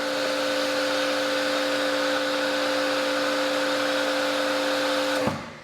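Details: Active 2.3 electric pressure washer, running a foam cannon at just under 1,000 PSI and about 13.1 amps, indoors: steady, even hum with two clean tones, no surging or rattle, then a clean shutdown. Normal running.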